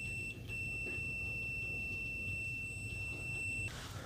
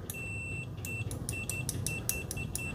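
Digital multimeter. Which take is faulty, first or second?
first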